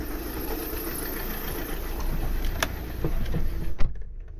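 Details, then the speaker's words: 2009 VW Tiguan 2.0 TDI diesel at idle: uneven lumpy beat with irregular knocks, like running on three cylinders, smelly exhaust and blue-white smoke; drives fine above 1,500 rpm; misfire cause not yet confirmed. "let's say he looks like he's running in three cylinders it quite stinks from the exhaust as well"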